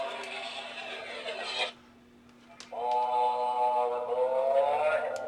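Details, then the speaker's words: Department 56 Haunted Rails train station sound/light puck, 6 V DC, powered for diagnosis. Buzzy, wavering tune over a low hum, briefly cutting out, with no lights; owner suspects overvoltage from power supply overheated and burned out the circuitry. "So, the sound distorts. And notice, no lights. What happens is the circuitry inside overheats and then it burns out."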